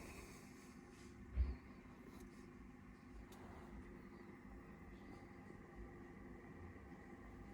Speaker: okay i can remember how loud the ultra max was i think about 33 something like that so this one is a little bit quieter